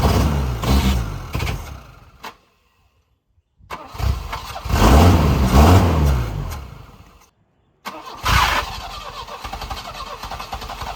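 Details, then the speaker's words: 1984 Volvo 244 GL pulled from the woods, converted from fuel injection to a carburetor, temporary exhaust: engine cranks and catches in bursts, cutting out each time the starter is released; owner suspects starter grounding or bad wiring. "It's like it's not. Every time I let off the starter, it is not staying running."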